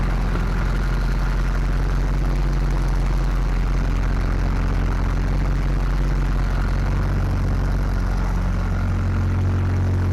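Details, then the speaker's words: Chevy SBC 350 in a '55 Willys wagon build, running off a temporary tank after the manifold hole was plugged. Deep, steady, even idle rumble with no miss or hiss; the carburetor still needs adjustment. "Got some adjustments to make on that carburetor for sure. We're going to call that a win. A small one, but a win."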